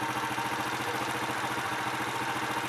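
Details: Honda Astrea Impressa motorcycle (same engine type as Grand/Supra/C100), hot engine after repair of noise that appeared when warm: even, steady idle pulses, clean exhaust beat, no ticking; healthy.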